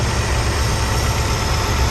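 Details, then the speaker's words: 1983 Ford F150 300 inline-six with Carter YFA one-barrel carburetor, after fixing carb looseness, air cleaner off, old fuel: steady, even low rumble, idling maybe a touch fast, slight sputter; running smoothly. "hey she's running good uh nice idle we're probably maybe a little fast"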